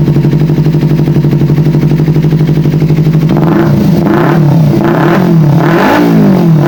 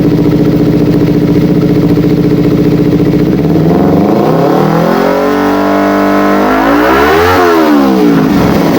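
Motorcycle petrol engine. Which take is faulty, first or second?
first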